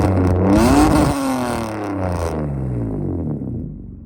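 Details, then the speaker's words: Mitsubishi V6 with MIVEC and a distributor, six-speed manual, recorded from the rear, where it is even louder: a raspy rev climbs sharply and falls back toward idle with an open, unmuffled bark. Sounds like a straight-pipe exhaust note. "But from the back, that thing's even louder. So we'll see if we can get some exhaust notes just so you can hear what it sounds like."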